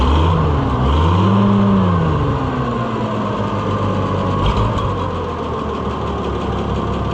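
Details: Oliver 1650/1655 tractor, six-cylinder (firing order 1-5-3-6-2-4), just running after new Delco-style distributor swap, cold: pulls up then sags and stumbles when throttle is snapped wide open, recovering to rough idle; owner thinks it needs warming up, not distributor.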